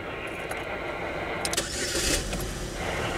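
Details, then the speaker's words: 2011 Chevy Malibu with intermittent no-crank, ignition accessory feed disconnected, ignition switch suspected faulty: key rattle, short crank, catches quickly into steady idle; normal crank and start. "yes so there's something wrong with this ignition switch that's my guess so we have to go towards the ignition switch we've got the car started"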